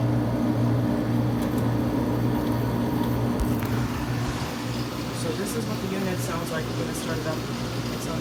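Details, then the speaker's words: Whirlpool window/room air conditioner starting up: steady fan hum with a low drone, then the tone shifts as the compressor kicks in smoothly. Normal startup, 79° shown. "79° and you also heard the compressor which is good"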